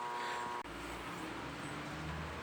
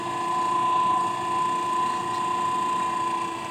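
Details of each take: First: Mueller spin dryer (centrifuge) plugged in hums/growls like the motor is running but drum does not spin, as if lacking power; steady electrical hum with no spin-up. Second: Mueller centrifugal clothes spinner (220 V) that only hummed and wouldn't spin, running normally after its capacitor was replaced: steady whirring hum with a constant high tone, drum spinning evenly at speed with no straining.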